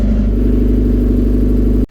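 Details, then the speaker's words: Old convertible, smoking heavily: loud, coarse engine with a heavy, steady low drone, then cuts off abruptly; cause not yet known. "you see with all that noise going on having the roof up means that all the noise goes into the cabin"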